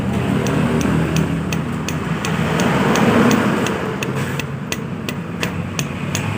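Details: Yamaha Aerox scooter: the engine runs rough with sharp, fairly regular metallic ticks about three or four times a second. The diagnosis is connecting rod knock, not a cylinder bore problem, and a replacement rod has been ordered.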